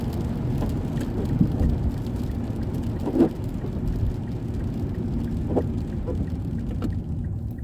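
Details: 2006 Mazda 3 2.0-litre on a road test after engine and transmission mount replacement for rattling/popping noise: steady low road rumble under rain hiss, no clunks or thumps pulling away or over bumps; normal driving.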